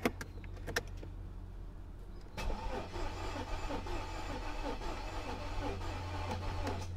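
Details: Mercedes S55 AMG, Copart car showing 100,000 miles, cranking in the car hauler: starter spins the engine at an even churning rhythm but it never catches; crank no-start, battery suspected.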